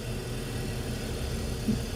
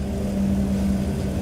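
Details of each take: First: 2005 BMW 325i after replacing the faulty cylinder 2 ignition coil that caused P0300 misfire; steady low idle with even rumble, no stumbles or skips, runs smoothly on all cylinders, new waveform good. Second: 2005 BMW 325i (one mention says 2003) with a P0300 code: cylinder 2 misfire from a failing ignition coil, found by back-probing the coil. The intermittent rough run is now a dead miss, giving a lumpy uneven idle with a missing beat.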